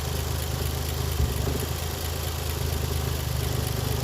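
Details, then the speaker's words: Toyota JZX110, warm idle dropping to just over 500 rpm, before TPS readjustment: very low, slightly uneven thrum; VVT-i solenoid disconnect made no change; rotating the throttle position sensor corrected hot-idle revs, no missing afterward. "just by guessing I readjusted the TPS just by rotating a little bit corrected the revs while I was on hot idle and so far so good it's staying there not missing"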